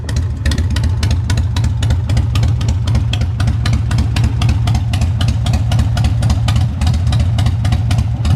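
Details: Older Harley Softail (displacement and cams unknown), started on choke while fairly warm: deep, loping V-twin idle with a steady potato beat of about four pulses a second and no knocking. A runner.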